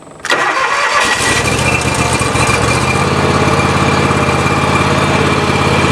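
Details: Grasshopper mower engine after a temporary fix of the failed fuel shutoff solenoid, with the choke pulled and the fuel pump having filled the carburetor. Brief crank, then it catches at once and runs steady and even: healthy start.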